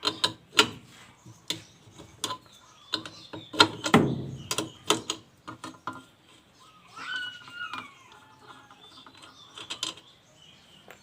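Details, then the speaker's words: Toshiba inverter washing machine that won't wash or spin, direct-drive motor turned by hand: uneven scraping clicks about three a second as the rotor rubs the stator, which can cause static and system errors; normally silent. "อ่าตอนนี้มันเบียดแล้วนะครับมันเบียดถ้าเบียดแบบนี้ครับมันเกิดไฟฟ้าสถิตทำให้ระบบErrorได้เลยนะครับ"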